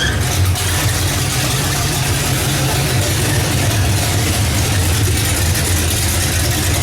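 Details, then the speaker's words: Oldsmobile Cutlass V8 engine swap, first start with new wiring, no antifreeze, open pipes: loud lumpy idle with skipped firing pulses; misfiring cylinder, owner suspects plug wires, cause unconfirmed. "um so there's something firing right though still what i'm like it's missing still check those wires again"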